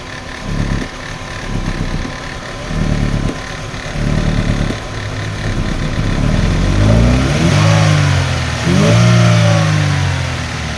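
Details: Chevrolet Aveo manual with hard start and low power, no check engine light: uneven, lumpy idle with strong vibration that stays shaky as revs climb; misfire from a failed ignition coil.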